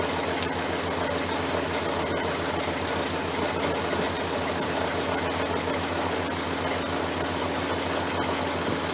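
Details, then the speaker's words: 1968 Chrysler 300 with a 440 V8, warm after running outside. It runs busy and uneven with a loose, stumbling beat like a misfire: rough running, cause suspected. "I think all of that noise and racket that was going on when I pulled it inside the warehouse, I thought we got a plug wire off over here. No wonder it's not idling quite right."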